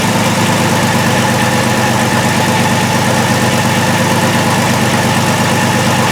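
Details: 2002 VW Jetta VR6 with P0262/P0206 injector circuit faults, running rough and stalling despite new plugs and wires: a hot idle with an uneven, lumpy misfire beat, with injector circuits dropping cylinders.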